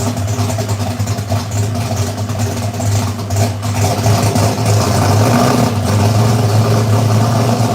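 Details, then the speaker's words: V8 idling at about 800–850 rpm after the header leaks were fixed, with timing at about 35–36 as specified. A deep, slightly lumpy idle with no ticking or exhaust puffing: normal idle. "boys all right I think sounds good man yeah that thing that Wasing about 800 850 uh header leaks are gone"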